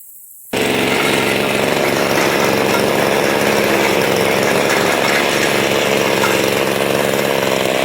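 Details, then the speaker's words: Mantis tiller two-stroke after the old carburetor was replaced with a new one: starts straight away and holds a steady high buzzing run with no stumbling or surging; runs healthy. "this one here cost me eleven dollars put it all together and it runs right off the bat"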